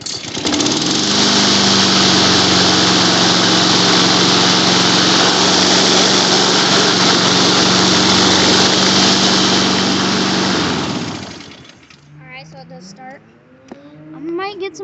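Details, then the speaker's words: Honda mower with auto choke, started in cold weather on first pull: small engine holds a steady, even high-pitched drone for about ten seconds, then cuts off and winds down; running normally. "Gas is on. Let's see what she does. That's first pull. That's acceptable. It's cold out. Yeah, that auto choke is kicking in."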